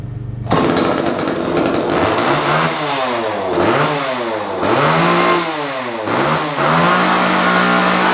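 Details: Vintage Homelite XL chainsaw, first start in 10+ years, with new fuel line, oil lines, duckbill valves and air filter: crisp two-stroke blips rising and falling cleanly, settling to steady fast idle; runs healthy.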